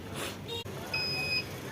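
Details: Microtek Solar PCU 1435/12V inverter after replacing two mains-line capacitors (fault was all lights on with continuous beeping): a single clear high beep about half a second as mains drops out, then normal operation; repaired.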